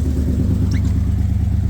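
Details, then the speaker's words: 2003 SVT Mustang Cobra supercharged V8 project car with long-tube headers into X-pipe and Loudmouth mufflers, cold rainy start at idle: deep lumpy idle with sharp puffing tick on each pulse, audible exhaust leak. "though can hear an exhaust leak not"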